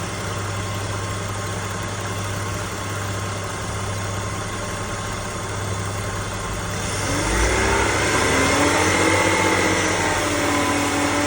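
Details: BMW E60 530i M54B30 inline-six idling steadily, then a clear whining tone rises and holds at 1500-2000 rpm.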